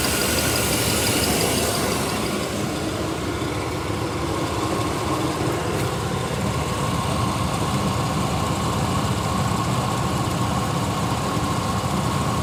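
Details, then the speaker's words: 1993 Chevy 1500 OBS V8, first start after sitting 16 years on a new battery: even steady idle, smooth low rumble, no knocks or misses; smoking from added oil, healthy idle. "Power in sounds good. It's smoking from all that mystery oil that I put in it."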